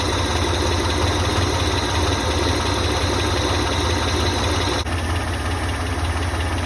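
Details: 1985 Ford Ranger after engine teardown and rebuild, with a misinstalled cam bearing drilled to restore oil to the driver's-side head: steady, even, smooth low idle with no misses or knocks after ignition timing set to about 8–9 degrees; oil pressure good, temperature rising.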